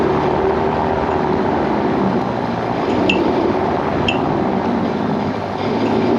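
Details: 2015 Tesla Model S P85DL while driving: steady road rumble broken by two sharp, light clicks about a second apart, coming from the rear. The owner asks what it might be. Clicking noise while driving.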